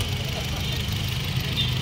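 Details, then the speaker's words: 2017 Honda City 1.5 idling with the AC on: it previously had a loud hum with the aircon engaged, and after the AC compressor was replaced, it gives a steady, even idle with no compressor noise. "so Ayan mga boss so nakauna yung aircon natin sa city kung maririnig niyo dati sobrang Ugong po pagka nire natin So Ayan I natin mga sir Oh wala na yung wala na yung ingay"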